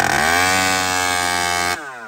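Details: Stock chainsaw: high screaming rev holds briefly, then suddenly falls away and sags instead of recovering; running lean and bogging.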